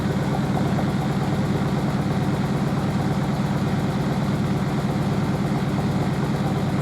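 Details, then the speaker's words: Merloni Electra WD1100 washer dryer, 50°C non-colourfast cotton unbalanced load test: steady low drone with slow even throb near 77 per minute, no drum banging. The stiff suspension rocks the machine; unbalanced load in spin. "However, though, you don't hear the drum hitting the side of the machine. That's just because the suspension's so stiff it pulls the machine about."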